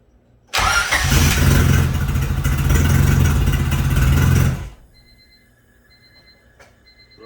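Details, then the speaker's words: Rebuilt Honda B16 first start, low coolant, ignition timing fully backed off, air-fuel ratio unknown: engine catches first try or two and settles into steady low idle for about four seconds, no knocks or ticks, no codes; sounds healthy. "So hell yeah, it started up like first try or two. Sounds fine. Obviously, the timing is backed off completely, and I don't know about the air-fuel ratio yet because I still have to install that gauge. But no weird codes, no weird sounds."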